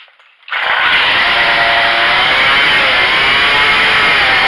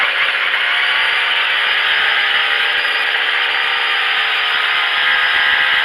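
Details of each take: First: Craftsman two-stroke weedwacker after carburetor adjustment (screw turned half a turn left, started on choke): RPM reaches maximum but idle is too high, fast buzzing with no drop to slow idle, spool spinning fast; idle speed too high. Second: Craftsman 25cc two-stroke string trimmer after carburetor adjustment for bogging, no power: high, steady buzz holding full revs evenly with a faint squeak behind it; normal running.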